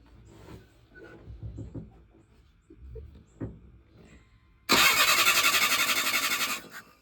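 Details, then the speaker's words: 1977 Chevy LUV, sat 18 years in a salvage yard, starter just fitted: starter spins the engine in an even beat of about four pulses a second but it never fires; no spark because coil wire was left disconnected. "so real quick before I went back inside for the night I did check the uh spark from the coal we did not have any apparently I disconnected that little guy when I was putting the starter on"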